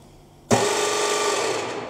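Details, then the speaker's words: Harrison lathe motor after belts were changed, switched on giving a harsh, loud grinding roar with a steady mid tone; cause not found; abnormal motor noise. "so we changed the belts on the lathe and there the motors making a horrendous noise"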